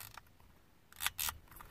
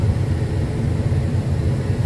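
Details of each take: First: Used HVAC control head from a 1995 Chevy Suburban with non-working AC and recirc buttons, no AC lights: dry, scratchy clicks as the dials and switches turn; worn control switches clicking, unlike the quiet new AC Delco replacement. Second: 1995 Chevy Suburban after fixing the unlit AC lights problem: strong steady blower airflow from all vents, no rattle or squeal; normal blower operation. AC compressor clutch still inactive, a separate problem.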